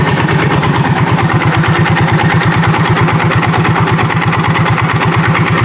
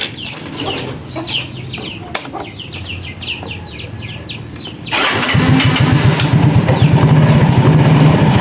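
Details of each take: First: Yamaha Mio J automatic scooter at idle: rough rattly knocking that fades as the throttle is slowly opened; failed starter one-way clutch, not the bottom end. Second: Yamaha Mio J automatic scooter after replacing the starter one-way clutch, run without the CVT cover: cranks and catches, then settles into an even steady idle with no rough rattle; normal idle, noise fixed.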